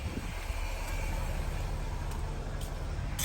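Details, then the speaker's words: 2003 Mercedes-Benz S430 (W220) air suspension pump raising the rear while the voltage sags, owner suspecting the alternator voltage regulator; a steady low electric hum as the pump works normally. "So that rear is raising. The pump is on, I hear it."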